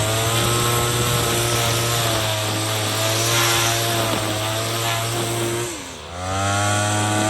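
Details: Troy-Bilt TB22EC two-stroke string trimmer, a no-start after sitting unused, running after a primer bulb replacement while trimming weeds: a steady high buzz dips briefly under load near the end and recovers cleanly, running well.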